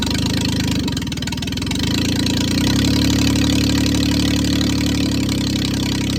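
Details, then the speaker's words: 1996 Geo Metro three-cylinder 5-speed manual, first start after bleeding air from the fuel line; loud, unsteady running that surges and dips and runs badly off the gas; owner suspects the missing idle air control parts, taped over. "doesn't really want to idle. If you take your foot completely off the gas, it runs pretty bad."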